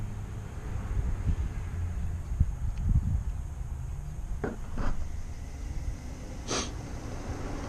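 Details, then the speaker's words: 2003 Mazda 6 3.0 V6 with code P0480, radiator fans wired directly to power: low, steady whooshing hum with handling clicks; fans work normally, fan control is missing. "right so as you can hear the fans are working what exactly that we're missing here we're missing control"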